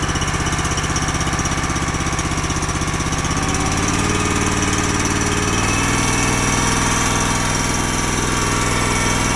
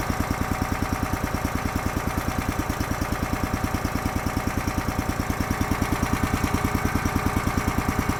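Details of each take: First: Honda GX240 with a Keihin carb on a hydraulic power unit that sits unused much of the year. Popping about four beats per second with uneven, hunting speed. Lean surge from a clogged pilot circuit suspected. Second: Honda GX240 small engine with Keihin carburetor on a hydraulic power unit (auger, fold-unfold), seldom used, after carb work for lean surge: crisp, even exhaust pulses at steady speed, no surging or hunting; sounds normal, running it out of fuel.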